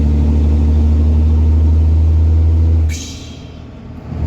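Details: Hotshot fleet diesel pickup in cold weather around 39°F, intake just fitted, turbo actuator work unfinished: deep, even drone that drops as throttle lifts then builds again, with loud intake; running normally.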